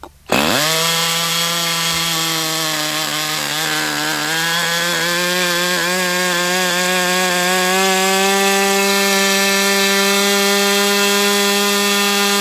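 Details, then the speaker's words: Brat 28 model glow engine, carb leaned out substantially after running too rich: a high, steady buzzing run that climbs and settles, with a whirring undertone like internal drag. Owner cannot find the cause and does not blame the carb. "There I hear a whirring sound like there's drag. I don't know what the hell to say about this engine."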